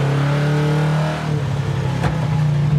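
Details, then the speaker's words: 383 V8 Road Runner on its first drive, possibly in third gear and not warmed up, pulls under load with an uneven, lumpy note that never smooths out. Crew suspect bad gas in the carburetor or a cold engine; it later sounded better. "why do it run so terrible I don't know that's why I thought that was third gear maybe it needs to warm up"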